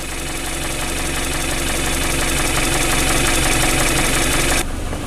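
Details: Newly acquired project car, first start after trouble starting, left to warm up: even, steady idle with a regular soft pulse and no knocks or misses; it idles normally as it warms.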